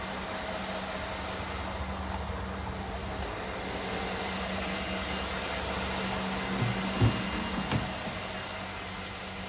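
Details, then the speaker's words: 2013 Mercedes GL550 (X166) AIRMATIC compressor after replacing it with a new Arnott unit and a new valve block: low, even pump hum, some noise but no buzzing or rattling; normal air suspension compressor operation. "okay great it's airing up there is definitely some noise but it's not bad"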